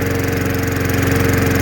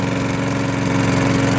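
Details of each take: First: Curbside-rescued MTD mower with a Tecumseh single-cylinder engine, just after the carburetor bowl was cleaned of muck and refuelled. It runs at a fast steady drone with speed drifting up and down; the RPM is hunting and the cause is unconfirmed. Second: Curbside-rescued MTD mower, Tecumseh single-cylinder: even, steady beat with no metallic rapping. The earlier hard rapping noise is gone and it sounds normal; it is still on 0W-20 oil pending an oil change.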